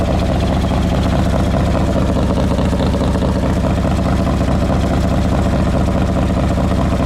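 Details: 2003 Harley-Davidson Road King with a cam gear drive, after service work: loud steady V-twin idle with a faint constant whine riding over the lope; the whine is the normal gear drive.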